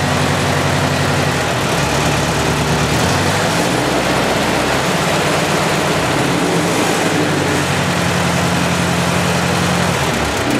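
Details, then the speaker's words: Ford 8N tractor after Marvel Schebler carburetor rebuild: steady, even low chug at idle with no stumbles or misses; normal idle. "director sounds good I hope that yours does too"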